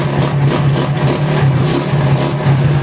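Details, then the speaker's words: Suzuki Raider 150 Gen 2 with a new wiring harness, which previously had no electrical power and would not start, now running at a fast idle. The earlier noise is gone and the steady low engine beat is healthy, with only a slight faint rattle. Normal running. "Nahimik pa. Nawala yung ingay bro. Kanina ang ingay Medyo may kalampag lang kaunti."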